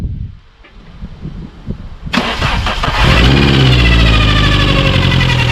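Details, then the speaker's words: Opel Corsa B C20LET turbo engine, first start after rebuild: cranks two seconds, catches and runs with a harsh metallic scraping rasp over the idle, later found to be the cam gear rubbing the inside of the timing cover; also over-fuelling. "So yeah, when we first turned the key, there was a really loud kind of metal to metal noise. Now, we later actually found out that that was the cam gear rubbing against the timing cover"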